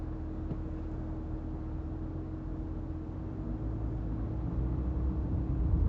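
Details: Chevrolet Camaro ZLE brake noise: a steady low hum ringing over the car's rumble, growing slightly louder toward the end; cause unknown.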